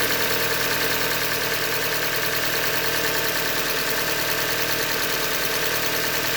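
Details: 2015 Hyundai Elantra Limited, 91,000 km, at idle: steady idle with a light, roughly regular tapping about two per second underneath; engine knock from short block failure, described as a Hyundai manufacturing defect.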